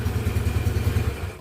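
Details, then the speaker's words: Yamaha Mio scooter after its heavy-starting starter motor was reassembled: fires on a brief tap of the starter and settles into an even, steady low putter before cutting out; very easy, clean start. "Kita coba lagi. Nah, di sentil saja pun ini sangat benar-benar mudah hidup sekali ya."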